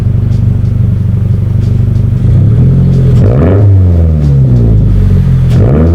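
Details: 2022 Subaru BRZ with Tomei Expreme Ti catback, revved gently after repair of its exhaust problems: deep steady burble at idle, then two clean throttle blips rising and falling smoothly with no rattle or knock; normal exhaust note.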